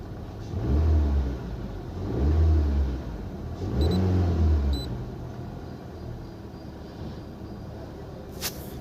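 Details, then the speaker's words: Honda City petrol engine after repair of cylinder 3 misfire (P0303) and blinking check light: throttle blipped three times, then settles to an even idle with no stumble; no misfire, no fault codes. "यह गाड़ी जो है हमारी एकदम perfect हो चुकी है missing भी नहीं कर रही और जो चकलेट ब्लिंग कर रही थी व भी नहीं कर रही है"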